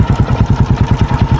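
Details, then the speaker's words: Honda XRM125 motorcycle with oil leaks, due for overhaul; fast regular ticking over single-cylinder idle, louder on one side, source unpinpointed, cam chain tensioner suspected. "Merong parang kumakaya dito, hindi natin alam kung saan banda yun sana sa tensioner lang yun. Hindi ko ma-pinpoint kung dito may problema o kaya dito."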